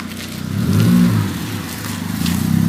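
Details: Ford Fiesta Mk7 with Borla exhaust, after exhaust leak fixed with silicone gasket: engine rises and falls through a couple of revs with a clean, deep exhaust note, no ticking or puffing; exhaust sealed, normal sound.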